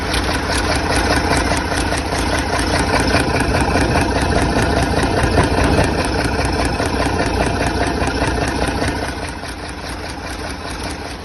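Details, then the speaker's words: Freshly rebuilt diesel engine, run briefly with an injector pipe off: steady, even diesel clatter at about 146 firing beats a minute with no knocks or misses; clean healthy idle. "It's started up very easy. And, uh, no major leaks or bangs."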